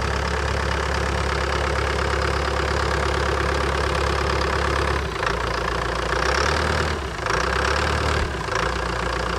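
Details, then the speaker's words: Old abandoned CAT excavator diesel engine after contaminated fuel system was drained, started on its key: deep, even rumble with a steady beat, no misses or knocks. Normal idle. "sounds good sounds very good"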